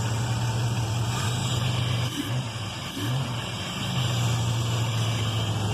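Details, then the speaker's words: Pontiac Grand Am with newly installed high-flow intake filter holding the MAF: low steady idle with two short throttle blips and a loud breathy intake rush, kept light in a store parking lot; engine revs cleanly, normal. "Aquí ya tenemos la máquina encendida, no sé si se alcanza a escuchar cómo está chupando aire. Vamos a acelerar un poco."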